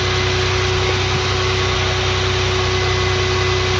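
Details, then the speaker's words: 1996 Toyota 4Runner with 3.4 V6, started right away after two years parked, warming up at idle: steady low rumble with a faint constant hum and no knocks or misses. Engine idling evenly. "it's been Park here for a very long time and it still turned on right away"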